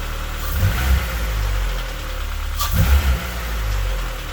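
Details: Honda Civic with K-series swap, idle control valve disconnected and water line looped: steady low idle with faint, uneven knocks every second or two, a new noise; cause not yet found. Engine knocking at idle.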